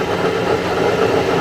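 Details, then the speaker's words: Truck driven at about 50–60 mph gives a steady, rough, gritty grinding with no rhythm, coming from the rear differential and also loud inside the cabin; the rear differential is grinding and worn. "That's what we're hearing, that grinding noise."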